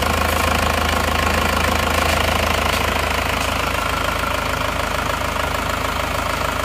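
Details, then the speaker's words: Newly assembled diesel engine just started for first time after rebuild: fast, even diesel clatter at idle, steady with no surging or extra knock; runs evenly and smoothly, no longer smoking; healthy idle. "Alhamdulillah hidupnya rata suaranya halus kita gas-gas dulu"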